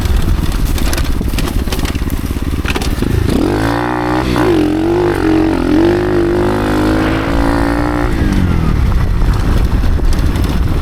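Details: Motorcycle with a 16-tooth sprocket after gearing changes, rider in new boots, labors close to stalling under heavy wind roar for most of the ride; the rear wheel was binding on the brake caliper or axle, invalidating the test.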